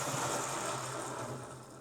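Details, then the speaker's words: Hornby Class A4 "Mallard" model locomotive with a CD motor conversion, drawing about 100 mA: a low even hum and soft whirr that fades smoothly as it slows, without the whine such motors can make. Normal motor running. "That doesn't seem to be making the horrible whining noise that I've heard come out of CD motors before. It appears to be pulling about 100 milliamps."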